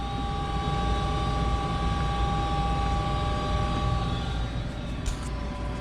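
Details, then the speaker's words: Goodman 95% AFUE gas furnace, first official startup of the 2019-2020 heating season, just after the burner lights: a steady, even whooshing roar with a constant mid-pitched hum, no rattles or surging; normal furnace operation. "so this is gonna be the first official startup of the gas furnace so let's fire it up there goes and there goes the burner can kind of see it in there"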